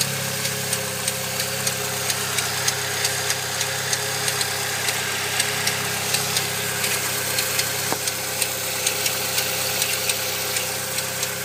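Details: Saab 9-3 SS idling with a steady, sharp clicking about three times a second over the engine hum; cause unknown.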